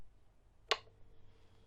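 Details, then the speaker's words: Sunsun CT-202 ultra-quiet aquarium air pump running on low setting, just switched on after a Sobo pump comparison: very quiet steady faint hum with soft high hiss after a switch click, much quieter than the Sobo; running normally. "Now the Sunsun is running in low, and the sound is definitely quieter than the Sobo, much quieter."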